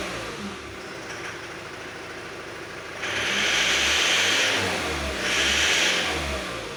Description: накрутил зажигание, вроде тише работает, но звон на оборотах остался